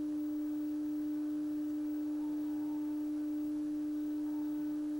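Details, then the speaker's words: 1960 Sylvania Dualette black-and-white TV: steady, pure mid-pitched hum from the deflection yoke, likened to a lawnmower, with distorted, compressed picture; yoke buzz, bad capacitors suspected, needs a full recap. "cool the yoke sounds like a lawnmower so why yeah this is just bad capacitors"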